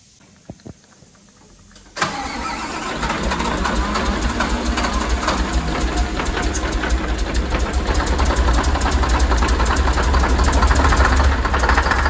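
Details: Scania DC16 16-litre V8 PDE truck engine (500 hp, 1.6 million km) at its first start after rebuild and assembly. It catches on the first try and settles into a smooth, even diesel idle with no knocks: a healthy engine.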